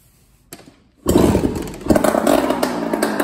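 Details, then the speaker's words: 2001 Honda CR80 two-stroke started with the exhaust pipe removed after tightening its screws: sharp, raspy firing with no metallic rattle. The knocking is blamed on a loose motor and pipe. "foreign with that pipe off you know what I'm saying it's not rattling with the pipe off"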